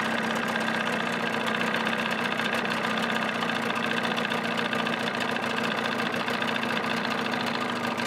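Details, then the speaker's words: 1979 Evinrude 35hp two-stroke outboard running under its hood with sound-deadening insulation, about 83 dB: an even, steady buzzing note with no knocks or misses; quiet enough for conversation, runs smoothly. "so i think that's respectably quiet enough you could have a conversation over it right now"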